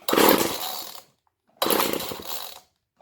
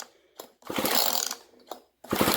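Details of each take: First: Old GTI 15T string trimmer two-stroke on mixed gas after fuel line replacement, started with starting fluid: raspy rev that fades and cuts out twice then catches; fuel starvation, carb not metering fuel, single adjustment screw to be tuned. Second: GTI 15T string trimmer recoil starter, two pulls with fast chattering ratchet as rusty starter pawls, freed with penetrating oil, now catch the flywheel cup; normal pawl engagement after lubrication.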